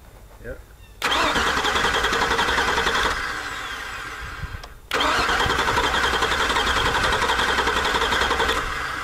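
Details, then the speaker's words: Auction truck, starter relay pulled and jumped with test tool: starter cranks steadily in two long bursts but engine never catches; ECM not activating relay, multiple issues. "right so I can crank it it won't start meaning that there's multiple issues here"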